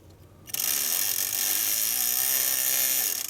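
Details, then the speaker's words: 1970s Romco Star Trek USS Enterprise toy, bought broken, fan powered directly: motor spins with a high raspy buzz and fast scraping chatter, fan rubbing on something. "okay so that works but it it's what's it hitting maybe it's meant to make that noise doubt it"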